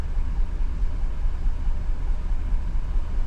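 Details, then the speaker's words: 2015 GMC Yukon 6.2 V8 that began misfiring after refuelling, idling with an uneven stumble about twice a second; live misfire on cylinder 3, codes P0300/P0303. "Ok, pero ahorita solo el 3 está fallando. El 1 no, el 2 no, el 3 está fallando, 3, 6, 7 y el 8 nada."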